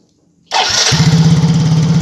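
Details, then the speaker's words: Yamaha Mio GT/Mio J scooter after repairing electric starter that only clicked; silence, brief clean crank, catches within half a second into steady even idle; starter works normally. "Ya sudah jadi sekarang dan starter sudah berfungsi dengan normal"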